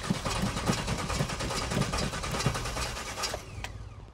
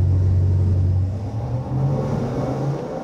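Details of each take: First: 1991 GMC Suburban off-road build stalled on the trail and won't restart: uneven starter churning about three turns a second, cranks but never catches; no fuel suspected, not confirmed. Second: 1991 GMC Suburban with a 383 stroker small-block Chevy V8 making 490 hp and 492 lb-ft; deep even rumble rising and falling through free revs with no knocks or misses, healthy running.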